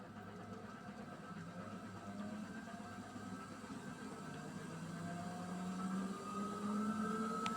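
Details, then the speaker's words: Beko WMY81283LMB2 washing machine, empty drum spinning up to 1200 rpm: motor whine climbs steadily with a rhythmic thump about four per second; drum wobbles and is unbalanced from a worn spider with one broken arm needing replacement. "You can see that there's a rapid drum. Also, the spider need replacing because a little bit worn out. Just one spider arm that just broke it."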